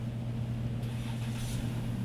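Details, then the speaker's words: 2011 Chrysler Town & Country/Grand Caravan 3.6L, 115,000 miles, after fix of intermittent crank-no-start and stalling: starts and idles with a quiet, even low hum, no stumble or rattle, no check engine light. "and it works it started no check engine light on"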